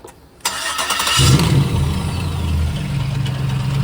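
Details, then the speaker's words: 2006 Chevrolet Silverado V8 after the starter and flex plate were replaced: it cranks, catches, then idles with a fast, loose metallic clatter. The rattle is still present. "still making the noise. That tells me it's either internal or the rear main seal's dried out."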